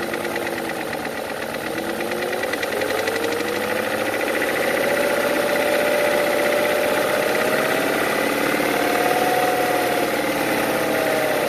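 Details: BMW E39 M62/M62TU V8 at 225k miles idles with a light, regular tapping about four per second over a drifting whine. The tapping appeared after much cranking and new OEM cam sensors; chain guides and Vanos seals were done about 8k miles ago. Lifter knock or piston slap is unknown.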